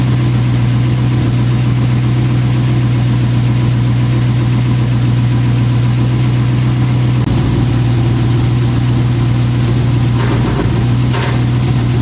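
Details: 1988 Lamborghini Countach replica after fixing a fuel starvation no-start: steady, even idle with a smooth low hum and no stumbles or misses; engine runs clean, fuel delivery healthy.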